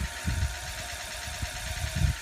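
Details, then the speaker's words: 2004 Ford F-550 after fuel pump replacement on the frame rail, priming at key-on with batteries reconnected to fill the filter: faint, steady electric hum under handling bumps; fuel pump priming normally, repeated five times. "So the fuel pump is priming up the fuel right now, and we're going to fill up that filter."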